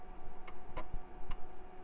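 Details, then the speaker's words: Floppy drive salvaged from a mid-2000s machine, tested on an AM2 board: a handful of crisp separate head-step ticks, no grinding or buzzing; normal seek, drive works. "okay we got a seek on that drive"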